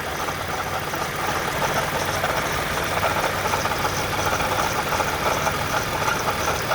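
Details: 2010 Toyota Camry XLE after errands, warm, hint of coolant smell: steady idle with faint uneven whirring under engine note, worst it has been; failing water pump needing replacement.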